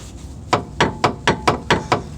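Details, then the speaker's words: 2007 Dodge Caliber: loud sharp hollow metal clunks, about four a second, from a loose front sway bar; subframe rotted through around the mounts, brackets likely broke off, leaving nothing to attach to, so sway bar to be removed. "real problem here is the subframe is rotted away you can see a hole right there and it's just rotted all the way around so i'm guessing uh the sway bar uh brackets just gave up the ghost and broke off"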